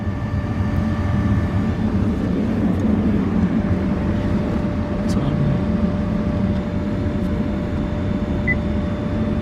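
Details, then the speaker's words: 2005-2014 Ford Mustang GT with the key on after blower motor replacement: a smooth, even rush of air with a low steady hum, and the earlier hissing noise is gone. Normal blower operation. "All good. Alright, key on. Okay, on. All you hear is air blowing."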